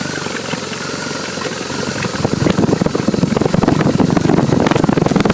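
Idle beats are uneven and lumpy, roughly four a second with stumbling pulses that get harsher partway through; a rough idle, cause unclear.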